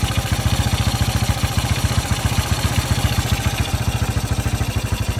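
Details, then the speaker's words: 1981 Yamaha SR185 single-cylinder that previously had intermittent weak spark, sputter and backfire, just fitted with a replacement Ignitech TCI, choke off at start: steady, even single-cylinder thump at about three and a half beats a second; normal idle. "Never ran that high at an idle at start. I always had to have that up prior. That was with no choke."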